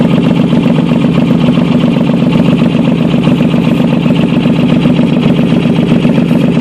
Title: VP Exhaust leak